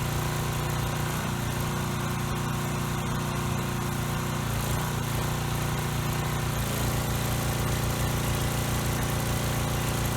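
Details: Coleman Powermate Pulse 1850 generator, which surged over a year ago, after carburetor cleaning and new fuel lines and filter, running with air box on, carburetor set two and a quarter turns out, no adjustment needed: one steady, even speed, no rise and fall or surging; normal steady running.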